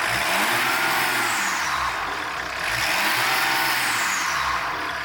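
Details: Engine revving: high whistle rising and falling with each rev over a rising roar; turbocharger with worn bearings and rubbing blades.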